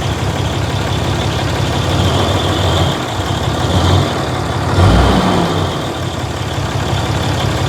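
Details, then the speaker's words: 2008 Ram Cummins diesel after replacing the fan and fan clutch, warmed up: a thin, steady high squeal holds its pitch over the lumpy idle; owner suspects the water pump, not confirmed. "I hear something now I'm getting a blowj job that Fan's kicking air something's definitely squealing water pump"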